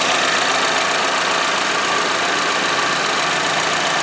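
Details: 2013 Chevy Equinox 2.4L four-cylinder idling after a PCV upgrade (PCV valve on modified cap, line to manifold) to prevent rear main seal failure: steady idle with fast, light ticking rhythm, no stumble or knock; normal, very smooth idle.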